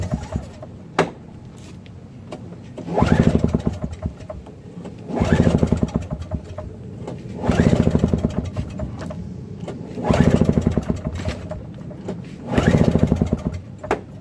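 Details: Craftsman 5HP single-stage snowblower with Tecumseh engine and leaking carburetor float: five pull-start attempts about every 2.5 seconds, quick popping chuffs that die without catching; it runs rich and floods and won't keep running.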